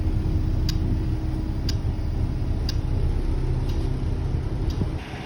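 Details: Golden Tours Volvo B8L MCV EvoSeti bus (fleet 207, LF20AXH): clear high tick-beep about once a second repeats steadily over low engine rumble; continuous warning alarm, cause suspected but not confirmed.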